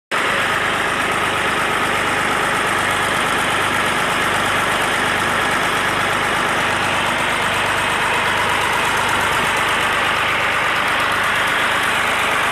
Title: BM 320 Buster after valve adjustment..